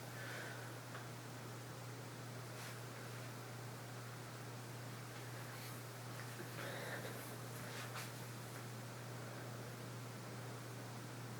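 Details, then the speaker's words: 1982 Casablanca Century 9000 ceiling fan with Lady Delta motor at medium speed: steady low hum with even airy rush, no knocks, ticks or wobble; running smoothly and moving a lot of air. "And it's moving a lot of air like all Casablancas do."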